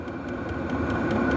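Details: Brand-new Vevor 8 kW diesel heater at maximum output: steady combustion roar with soft fuel-pump ticking about five times a second, running evenly; exhaust reads about 160° roughly two feet from the unit. Normal operation.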